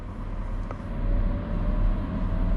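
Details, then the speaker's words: Boosted build with launch control and anti-lag, fire-up: a faint steady whine slowly climbing over a low rumble as the fuel pump winds up priming before the engine fires; normal. "don't know if you can hear it the um Astro pump winding up like a rocket"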